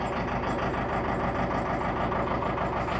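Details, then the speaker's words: Neglected Case 580 Super L diesel backhoe, long unrun, jump-started from a car: starts fine but a high wavering belt squeal sits over the rough diesel idle; owner suspects the belt tensioner is completely worn out. "That's more like it. There's some belt squeaking pretty bad, but started up no problem. I don't know if you can hear me, but I think that tensioner is completely toast."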